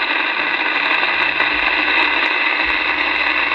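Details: Uniden MB8719 CB radio on AM with only the antenna connected, after receive sensitivity adjustments: loud, even hiss across the band with no dropouts, receiver now properly sensitive, normal receiver static.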